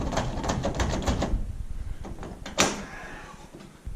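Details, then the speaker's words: Toolbox in the bed of a 1994 Ford F150 4x4: quick uneven metal clicking then a clunk as the lid latch rattles, a noise heard on gravel roads, from worn latch rivets, to be replaced with bolts. "sometimes coming down the gravel road you'll hear this little vibration noise and what it is the lid on this rivets in this latch are all worn out"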